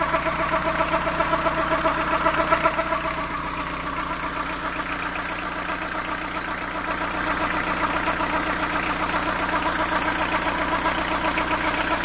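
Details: Fiat Ducato diesel van, warm idle, noticed after coolant change: steady rhythmic rattle near 150 per minute over the clatter from the belt side, only at idle after warm-up; cause unknown.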